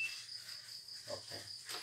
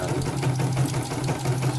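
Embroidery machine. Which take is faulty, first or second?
first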